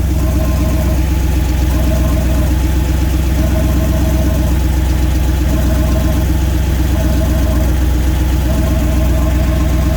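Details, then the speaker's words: Turbo EFI 460 Ford (S480 turbo) idling: steady V8 with faint rhythmic puffing hiss as exhaust leaks past the 60mm wastegate into the dump tube after an attempted fix; leak persists, maybe worse. "It's definitely leaking. Actually, might be worse."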